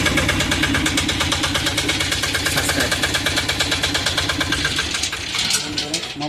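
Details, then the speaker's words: Tata/Mahindra Zip diesel that would not start (code P0090-13, battery drained from cranking), after clearing the fault codes: fires up and settles into an even clatter of about two beats a second, then eases down; starts and idles normally. "Start చేయండి మహమ్మద్ [సంగీతం] bye బండి అయితే start అయింది మరి"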